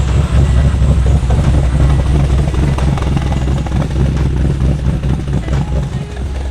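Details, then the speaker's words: LS V8-swapped Nissan Z32, first start after sitting over a year with some loose wiring gremlins: started right up, deep uneven lumpy idle with loping chop about twice a second; healthy V8 with big cam. "that thing started right up good All-American muscle this thing literally hasn't been started in over a year"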